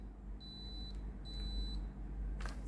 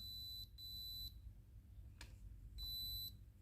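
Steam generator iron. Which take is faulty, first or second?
second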